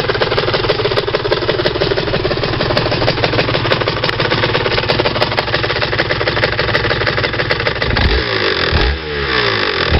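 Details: Rs 125 motorcycle engine runs with a fast, dry metallic clatter, then revs up and down. It does not rattle when driven at low speed, 30 km/h, in 4th-5th gear.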